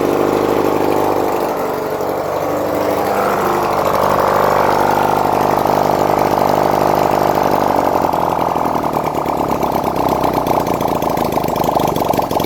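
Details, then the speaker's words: 1971 Honda CD175 K3 twin under restoration, running on a little fuel put in the carburetor, oil reaching the head: idles evenly, then revs up and holds a steady higher note smoothly; normal idle and revving. "I was only sticking a little bit in the carburetor, but that's it, guys. We have a running bike."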